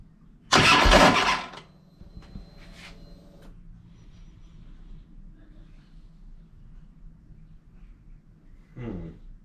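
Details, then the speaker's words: 2007 Harley-Davidson Ultra Classic after Screamin' Eagle compensator upgrade for hard warm/hot starting: about a second of loud rough grinding on cranking before catching, then quiet low idle; starter motor suspected to need work or replacement, not confirmed. "um I don't think that was helping things but um it sounds like the starter motor now needs some work or it needs a new one"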